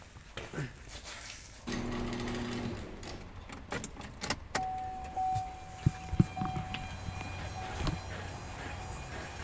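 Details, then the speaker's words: 2016+ Chevy Colorado/GMC Canyon 2.8L Duramax diesel after a fuel filter change, key on, engine off. A thin, steady electric whine holds about three seconds then stops as the pump primes the filter, with no more fuel dripping: normal priming. "yeah you can hear it whining not seeing any more fuel dripping like it was last time"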